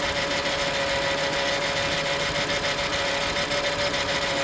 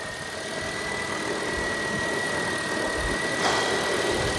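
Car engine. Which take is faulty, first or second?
first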